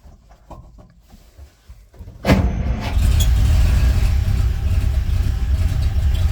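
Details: 1939 International Harvester D2 truck, second start on a new battery, neutral with clutch in and a bit of choke: quick crank catches at once and settles into a steady even low idle.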